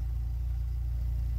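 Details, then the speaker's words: VW Golf 3 idling after fitting a new rear silencer to replace the broken one: low, steady idle burble with no tinny buzz or rattle underneath; the sheet-metal rattle is gone, exhaust sounds quiet. "Euh et là après on ira regarder mais bon le bruit est enlevé bruit de tôle."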